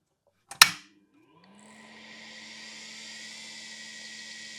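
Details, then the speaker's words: IBM 5150 PC powered up, microphone placed by the hard drive: a sharp switch click, then the old hard drive spins up with a rising, steady whine and ticking heads, showing the power supply works. "So hopefully now you can hear the heads ticking and you can hear the whining from here."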